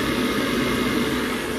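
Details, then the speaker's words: Boiler on maximum output, previously cutting out after a minute at max: steady even burner-fan roar, no rattles or whistles, fan pressure -6.7; normal operation at full fire, still running, CO2 maximum to be adjusted. "Quickly take a minimum, then just check our maximum. Hopefully it will stay on there. You see, fan pressure, minus 6.7. Very good. That works."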